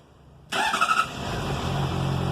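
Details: 2007 Honda CBR 600RR, about 17,400 km, cold start: catches with a brief metallic clatter, then settles to steady idle; workshop diagnosed the cam chain tensioner.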